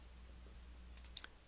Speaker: rotate the ring gear you'll hear a clicking sound that is made between the ring gear and the drive pinion it's that clunking sound that tells you that you still have backlash that needs to be taken out